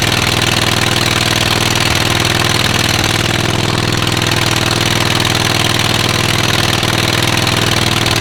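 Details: Rusty John Deere auction mower whose muffler has a couple of holes: loud, raspy, steady exhaust with a sharp edge at fast idle; loud exhaust, likely from the holed muffler.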